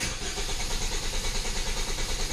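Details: Hyundai Tucson with previously repaired ECU: steady rhythmic starter cranking with no firing or catch, check engine light on; engine turns but won't start, failed fuel pump.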